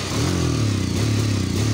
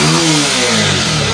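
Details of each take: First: Bajaj Pulsar 150 single-cylinder: revs unevenly, the beat stumbling and dropping out between pulls and not revving freely; misfire, owner suspects an ignition problem. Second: Bajaj Pulsar 150 after the misfiring (missing) problem was fixed, coil part shown: engine climbs smoothly in pitch on a quick rev, clean and even without stumble or misfire.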